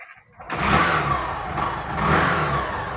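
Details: Hero BS6 motorcycle with a not-starting problem, fuel pump suspected, checked with an OBD tool. The engine catches after a short crank, revs up twice and settles back cleanly with no misfires or knocks: it runs fine.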